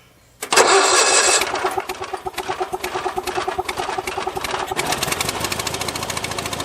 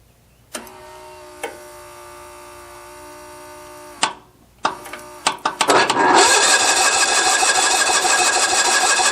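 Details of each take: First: Mower that died while mowing, restarted on a weak battery: catches immediately and settles into a steady even single-cylinder putter of about three and a half beats a second; running normally. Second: Mower that died while mowing, cranked on full choke: a few clicks, then steady cranking that never fires; fuel confirmed but the coil has no power because its feed wire has pulled loose, so no spark.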